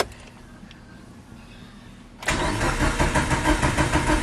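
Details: Mitsubishi Evo 8, first start after 8 years, after replacing the failed starter: starter spins and engine catches almost immediately, settling into a steady idle; normal start.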